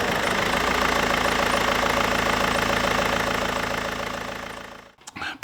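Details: 2005 BMW 120d E87 with M47 diesel, in for a cylinder 2 glow plug fault code; all four glow plugs replaced with inlet manifold removed and EGR carbon cleaned. Even diesel clatter runs steadily, then shuts off cleanly; no knocks or misfires, healthy running.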